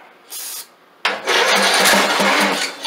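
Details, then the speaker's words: Craftsman LT2000 lawn tractor, sat for years, run on carb cleaner sprayed into the carburetor to test engine before buying a new carb: short burst, pause, then catches and runs unevenly with heavy smoke; governor found frozen, fuel delivery fault at carburetor. "There we go. There we go. Fired up. smoke like hell at first."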